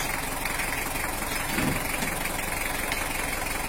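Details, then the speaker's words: Toyota Hiace LH-11 with type-L diesel idling steadily with even, healthy clatter and no smoke, after repairing the broken injection pump bracket mount and adding an oil pressure gauge; normal diesel idle. "emen yo yo mesinnya udah normal suaranya juga udah lu [Tepuk tangan] suaranya juga merdu dan sudah mengeluarkan suara ciri khas dari mesin tipe lo untuk Toyota Hiace"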